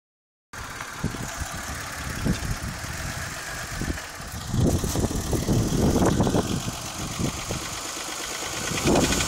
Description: 1991 Toyota Camry engine knock after over heating.